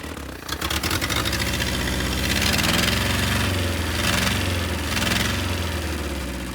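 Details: Willys CJ2A Jeep, first run with no coolant flowing: catches after a brief crank and settles into an uneven, lumpy idle with a wavering beat, running rough; owners say idle adjustment is probably off.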